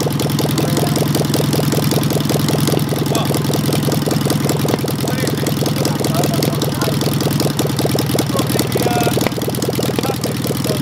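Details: Engine with Solex 30 PICT carburettor, after replacing faulty needle valve that caused flooding and fixing stuck pump ball valve, timing close: fast uneven idle with stumbling beat and missed pulses; misfire, possibly a valve problem.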